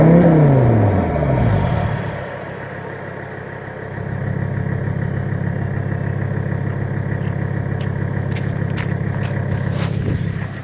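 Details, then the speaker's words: 1984 Mercedes-Benz 300TD, recorded at the exhaust, straight-piped right off the turbo with no cats, mufflers or resonators: loud, steady clatter with a deep even drone after a brief rev, no misses and no smoke, running normally. "She sounds pretty good, and she's not smoking. No smoke comes out of that, and that is completely straight pipe right off the turbo."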